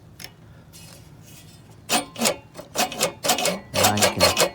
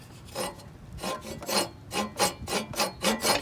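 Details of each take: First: Reel push mower with the reel adjusted up toward the bedknife by the knobs, before lapping with compound: uneven scraping ticks, two or three per second, as the blades rub and grind on the bedknife. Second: Push reel mower, reel brought up to the stationary bedknife with adjuster knobs before compound sharpening: rhythmic dry rasping swishes, about four a second. Even, light reel-to-bedknife contact, nicely set.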